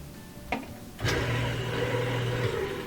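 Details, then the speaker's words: Kenmore/Whirlpool direct-drive washing machine that won't agitate or spin: motor hums with light clicking but nothing turns; broken motor coupler between motor and gearbox, to be replaced. "we can hear the motor kind of a clicking sound but no spin no agitation so this is due to a broken motor coupler"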